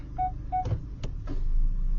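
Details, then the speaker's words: 2022 Hyundai Creta, 1.5 L petrol with IVT (CVT) automatic, at idle: reverse beeps, then soft knocks shifting from reverse to park. This is a normal gearbox engagement noise, lessened by selecting drive and applying the handbrake before park. "you heard that noise right? So that is from the uh gearbox noise which is very normal"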